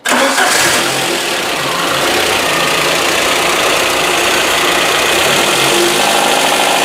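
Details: VAZ 2110 8-valve engine running with a busy, uneven clatter over idle; knock produced with the alternator bolt loosened, alternator mounting seat worn (peened), letting it shift; alternator mount knock.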